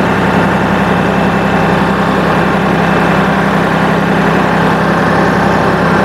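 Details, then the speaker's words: New Holland compact tractor with floppy front loader bucket, diesel idling: thin steady whine over idle as the hydraulic pump sucks in air, air in the loader hydraulic system. "oh you hear that noise that's sucking in air can you hear that hear that so i don't know if that sound of air in the system was audible right there"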